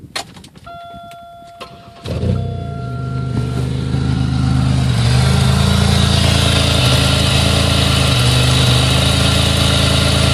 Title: Buick regal gse slightly warm misfire video..